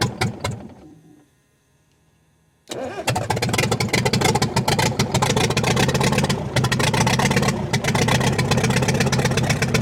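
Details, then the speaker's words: Cat 922 loader diesel after a cylinder head rebuild, on a cold 0-degree day. It cranks, catches and revs, but the run has brief sagging dips and an uneven beat. Owner suspects air entering the fuel system or a low tank; suction filter element missing. "We got her fired up. It's been running, but I seem to have developed a problem in the fuel system. I could be even maybe sucking air out of the tank, maybe out of fuel."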